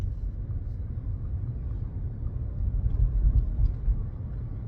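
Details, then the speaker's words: 2017 Chevrolet Bolt after lubricating the rear hatch latch: low road rumble driving slowly over bumps with no rear creaking; the latch was the real culprit, and bump stops were a red herring. "silence oh that's all it was it's just a locking mechanism the bolting mechanism the latch oh so much better"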